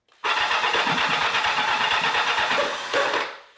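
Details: 1984 Kawasaki GPZ750 Turbo, long abandoned, after fitting new fuel pump that primes: about three seconds of even, rapid starter chatter, no firing; still cranks but won't start, injectors next to be checked for blockage.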